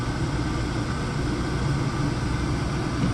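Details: Oil burner with down-firing flame being tuned with a combustion analyzer, CO2 raised to high 11s; steady, even burner roar with no pulsing, rumble or flutter, flame stable and well adjusted: normal burner operation.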